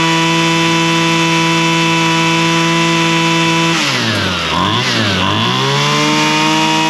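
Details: Husqvarna straight-shaft string trimmer, two-stroke, after carburetor high and low screw adjustment (likely long unused, diaphragm suspected snug); steady high buzz, dips briefly on a throttle blip and recovers cleanly. Normal running.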